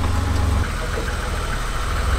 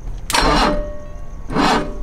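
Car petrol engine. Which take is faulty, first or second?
second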